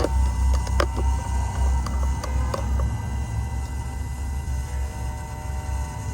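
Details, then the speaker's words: Cummins X15/ISX15 truck diesel after fuel filter and water separator change, key on before starting: steady low electric hum with light clicks as the lift pump primes and bleeds air from the system normally. "That should back pressure any air that's in the system, bleed it out automatically. Alright? You can hear that motor working."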